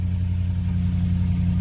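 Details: 2011 Ford Super Duty, 6.2 gas V8, idling after the starter/solenoid replacement that cured a click-no-crank fault: steady, low, even rumble with no clicking or stumbling. It runs smoothly.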